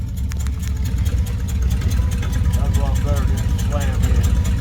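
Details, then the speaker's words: 1955 Dodge with a used roughly 70-year-old transmission, on the lift in gear at low idle: faint whirring over the steady idle; transmission whine, cause unknown, possible ATF leak near bell housing. "Yeah, you can hear the transmission whirling. I don't know if I'm supposed to do that, but"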